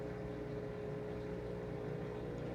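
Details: XpertMatic DB-366 aquarium air pump driving two air stones in a 150-gallon tank, valve turned all the way up: a steady, even hum with a constant low buzz, some vibration, no knocks or rattles; running normally at full output.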